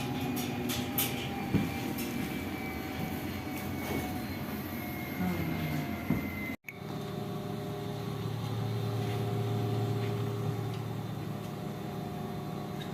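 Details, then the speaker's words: Lavamac washing machine that gave a loud spin noise (drum bearing suspected), belt reattached to main drum, 220 V supply: steady, even spin with smooth low hum, no knocking or rumble; normal spin at normal speed. "तो अभी जो मैं start किया हूं normal speed पर spinning में चल रहा है नॉर्मल स्पीड इसकी चल रही है"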